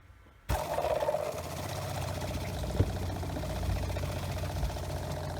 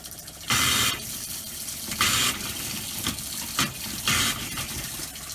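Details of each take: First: Motorhome habitation water pump, newly installed, on caravan battery: silence, then steady low drone with faint rattle while priming and purging air; much quieter than the old pump, waiting for pressure to build so it stops. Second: Motorhome habitation water system after installing new Shurflo pump, running the hot tap: flow breaks into irregular spitting gushes and hissy bursts every second or two; air still in hot line.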